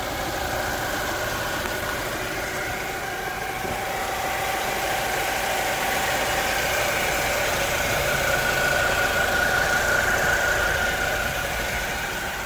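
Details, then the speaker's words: 2008 Ford Mondeo 2.0 Titanium, 145 hp petrol, idling with the bonnet open: even, smooth idle with a light steady hum and no knocking or misses; no oil leaks seen, normal idle. "ezt a motort, látjátok, tök szépen jár, 2 liter,"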